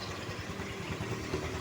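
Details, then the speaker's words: Newly bought Honda Vario scooter at idle: an uneven, rough rattle from the CVT side, with the rear wheel creeping and pulling, growing louder when the tire is held and vanishing once riding; CVT clutch drag rattle at idle. "Ketika saya pegang ban Ini motor e semakin keras ya untuk suaranya ini lihat tangan saya ini maju mundur teman-teman dia ditarik ini teman-teman ya Ini seharusnya normalnya itu motor saat stasioner itu tidak begini ya teman-teman"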